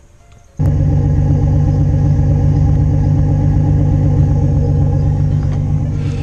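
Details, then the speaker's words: 1987 Nissan 300ZX (Z31) at idle after patching a fist-sized hole in the aftermarket over-axle exhaust pipe with cured patch compound: steady, even low drone, no puffing or ticking; exhaust sealed, exiting the tailpipe. "I left the cure for about 2 hours on its own in ambient temperature, put it on, and I'm going to let it all finish out with the exhaust gases. Obviously you can hear that the exhaust is coming out the back."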